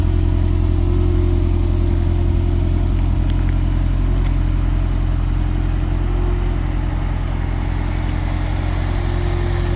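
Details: GTS Turbo petrol engine at idle, heard on a walk-around: steady low drone with a faint uneven ticking layered over it; an unidentified noise whose source isn't clear.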